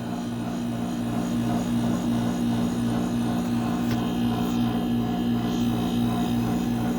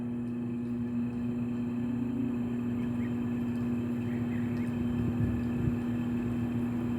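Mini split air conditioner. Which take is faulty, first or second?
second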